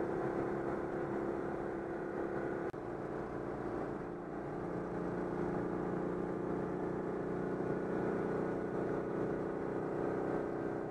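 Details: Citroën 2CV on the motorway at a stabilised 90 km/h after repair of an air leak in the hose before the fuel pump: an even steady drone from the twin with no surging or cutting out. Normal running at speed.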